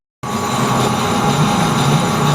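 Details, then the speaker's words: Lathe facing the blade hub of a rebuilt brush hog shaft, next ten-thousandths cut: steady, even hiss with faint ringing and no chatter; smooth now, tool cutting cleanly into good material at the outer hub. "okay you can hear it this is the next ten thousands in and see how it's smooth now so you know you're probably down to good material at least out here"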